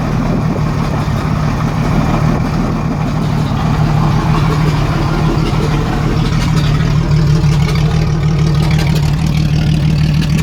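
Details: 1987 Jeep Cherokee Renix 4.0 at idle: uneven idle with recurring stumble in the low thrum, steady miss on one cylinder; traced to a sticking exhaust valve or bad lifter on cylinder 6; loosening the rocker bolt smoothed it.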